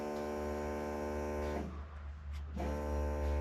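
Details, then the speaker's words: Holden HZ ute project, newly wired on a Haltech Nexus R5: electric brake vacuum pump switched on, a steady hum with a whining motor note that stops at pressure and restarts when the brake is pressed; normal cycling. "the brake vacuum pump when that gets turned on you can hear it"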